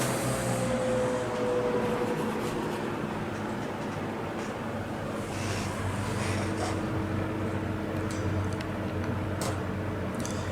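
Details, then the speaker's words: Vintage Lasko box fan, model 4713, 1983–1984 date code, after motor repair, on low speed: steady airy rush with a constant, quite pronounced motor hum, more so than the owner's Sears version. "know how well you can hear that motor hum but it is quite pronounced on the span even more so than the Sears version of this that I have"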